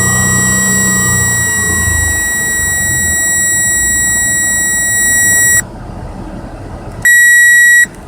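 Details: 2008 Nissan Maxima with suspected bad alternator, brake and battery lights coming on: high, steady electronic chime sounds for several seconds, stops, then sounds briefly again; dash warning alert.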